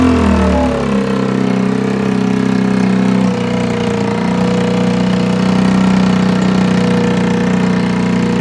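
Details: Longjia 50cc scooter after carb cleaning and electrics work, run off a portable 12 V jump starter: a brief blip of revs, then a steady, even buzzing idle with no misses or knocks; normal healthy idle.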